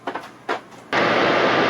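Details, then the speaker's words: RV rooftop air conditioner set to cool high after electrical work: a few light clicks, then compressor cuts in with a sudden steady roar that holds without stalling; starts cleanly, drawing about 1600 watts, air from vents. "compressor is on compressor's on we've got air coming out the vents see if it gets cool it works it's doing 1600 watts"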